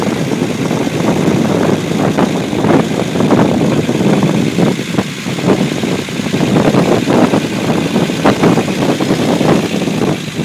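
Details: Unimog 404 first start after new fuse boards and a rewire: engine idles steadily with a busy mechanical clatter on top, no misses or stumbles; normal, healthy idle.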